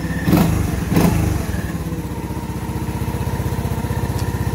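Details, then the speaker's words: 1981 Honda ATC110 three-wheeler after restoration work, running with fenders on: even, quick idle putter with a couple of heavy thumps early on; an unidentified abnormal noise, cause unknown. "I don't know what the noise is but I don't want to hear it"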